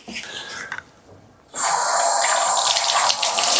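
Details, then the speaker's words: Bathtub drain after hair and debris were pulled out of a slow, clogged drain. A steady rushing hiss of water pours straight down with no gurgling or backing up; the drain now flows freely. "See how it flows. You can hear it now going down."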